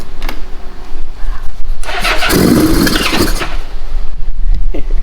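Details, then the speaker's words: Old Honda Goldwing, exhaust packed with a mouse/squirrel nest: the engine catches and runs rough, with sputtering puffs at the tailpipe as nest debris blows out. The pipe is possibly plugged. "The exhaust is clear full of mouse. I was wondering. It's shooting. >> It's blowing squirrel nuts out of the back. >> It might be plugged up."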